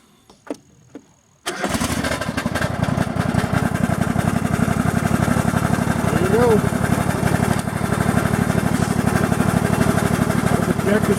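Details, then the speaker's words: Craftsman GS 6500 riding mower after reseal, cleaning and frame weld: started with clutch pushed in and key turned, catches at once into a steady, even single-cylinder putter with no knocks; runs well. "l apart re-sealed everything we had cleaned everything welded the frame and it uh runs really well"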